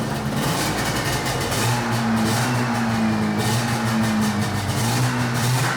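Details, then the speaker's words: 1981 Yamaha SRV 540 two-stroke snowmobile, barn find, after clearing debris holding the reed valves open: fires right up, raspy two-stroke buzz holds and swells on throttle blips, pulls cleanly without stumbling, smoky from old oil; running properly again. "oh fired right [Music] up all right sh it off for a second wow run straight legit fired right up man"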